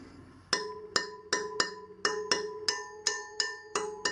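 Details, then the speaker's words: Sur Ron Light Bee wheel spoke tapped about a dozen times while tightening spokes in eighth-turn steps: crisp, bright, ringing ping that hangs on; this spoke is tensioned properly. "you notice some of them are starting to make different sounds to the other ones"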